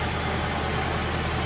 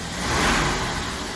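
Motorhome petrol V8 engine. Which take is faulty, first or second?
first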